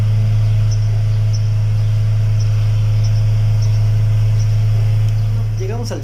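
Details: VW Gol 1.6 after replacing failed cylinder 3 ignition coil (had misfire, power loss, knocking, EPC and check lights), codes cleared: strong steady low hum, even pitch, no stumbles; smooth even idle.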